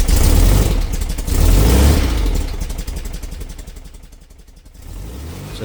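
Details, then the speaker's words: 57-year-old VW Bus flat-four, cold start after a Vintage Speed exhaust fit and a coil replaced for a hot misfire: fast, even chuffing settles as it warms, no stumbling or misfire; exhaust seems quieter than standard. "that was a cold start and as you can hear, is running a lot better. And that exhaust, I think it sounds a little bit quieter than standard."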